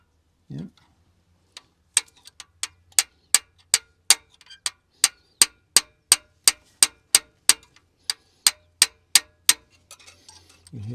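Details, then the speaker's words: Long-sitting 12V71 supercharged two-stroke Detroit Diesel V12 in a Wabco 35 dump truck: valve spring tapped, sharp metallic rings about three a second, plenty of bounce; previously stiff valves now moving again. "spring sort of ringing a bit plenty of Bounce there"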